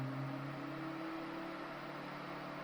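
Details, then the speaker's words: Titan TTC-SC21 campervan roof-window fan reversed to exhaust mode at 60%, extracting warm air from the camper: soft, even whir with steady tone, no rubbing or ticking; normal operation. "Teraz wyciągają ciepłe powietrze z kampera na [Muzyka] zewnątrz na 60%."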